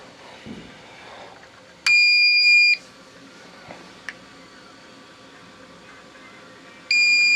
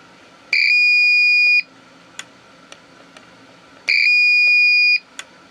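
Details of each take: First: APC Back-UPS 500 after a self-test, running on battery with mains power cut: two clear high beeps about five seconds apart in a quiet room, the normal on-battery signal. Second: APC Back-UPS 500 switched on with its battery removed: two long, steady high-pitched beeps about three seconds apart, each about a second long; the UPS warns it has no usable battery.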